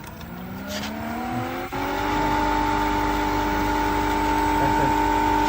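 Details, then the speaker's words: BLACK+DECKER 1.5 hp 220V variable-speed pool pump ramping to 3000 RPM: motor whine climbs smoothly over two seconds then holds a clean steady pitch with no grinding or rattle; normal running at high speed. "That's at 3000 RPM. That's the sound."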